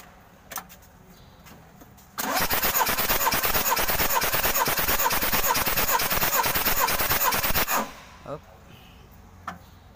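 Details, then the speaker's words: Mitsubishi L300 diesel, hard to start on cold mornings, lacking power and running lame; compression test with injectors removed. Steady cranking at about two turns a second with a slightly uneven chuff. Cylinder 3 reads below the limit, suggesting worn rings. "kompresi nomor 3 nih Sudah rendah kompresinya maksimalnya 28-30 ternyata dia di bawah limit"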